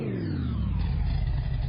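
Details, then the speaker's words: Freshly rebuilt carbureted engine, rocker arms just fitted after being forgotten, first start after installation in the car: catches and settles into a smooth, even low rumble with no ticking or knocking; normal start and healthy idle. "Sounds good, huh?"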